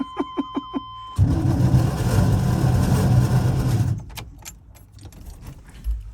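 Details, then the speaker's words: 1984 Chevrolet Suburban C20 that had been sitting, first start attempt: after a few chimes the starter churns sluggishly for about three seconds and doesn't catch. Owner suspects the starter needs cleaning or there is rust on the flywheel. "That starter might just need to be cleaned up. It's probably just a rust on the fly plate or something."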